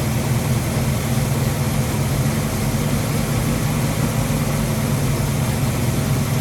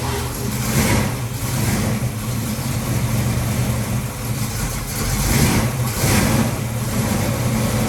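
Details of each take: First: Ford 289-based 331 stroker V8, first start after rebuild: tapping noise gone but idle rough and lumpy; distributor reinstalled by eye, timing probably off, owner plans to check with timing light. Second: Ford 289-based 331 stroker, second start after rebuild, choke on: deep V8 rumble with a couple of blips, then idle with no top-end ticking. Tapping is gone, but it idles poorly; timing is suspected off.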